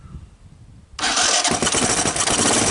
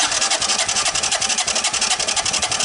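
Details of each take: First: 1983 Honda ATC200E, long-stored barn find, cold start on choke with a brand-new carburetor and portable CDI box, no starting fluid, oil in the cylinder: catches almost at once into a steady, even single-cylinder putter, a little smoke; starts and runs fine. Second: 1983 Honda ATC200E, partially seized barn find, cranking during compression test with plug out and oil added: fast even cranking pulses about ten a second, each with a hissy rasping whistle; possibly a bug nest in a crankcase vent line, unconfirmed.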